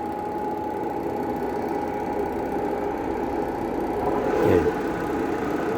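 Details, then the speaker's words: Hitachi washing machine after repair, spin (drying) motor running on timer: constant mid-pitched hum with steady whir, no scraping or clunks; spin motor running normally. "এই মেশিনের মোটরটা টাইমারটা চালু করবো এইটা চালু করছি ঠিক আছে এটা এখন চলতাছে টাইমে চলতেছে মোটর"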